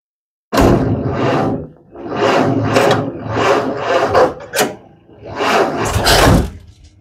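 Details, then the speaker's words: Model A Ford with the 4-gauge battery cables before upgrading to 1-gauge: the starter drags over slowly in uneven, laboured bursts about a second apart, as the thin cables starve it of current. "I bought them and put them on and here's the difference this is a clip of it cranking with the 4 gauge on it"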